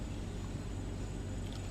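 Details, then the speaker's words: 2002 Chevrolet Avalanche 5.3 Vortec V8 that had run poorly on bank one (O2 sensor and fuel trim issues), started on 100-degree day and warming toward closed loop; steady, even low rumble, no misses or knocks: normal idle. "Back top side, crank it up. Woo! Man, that's running good."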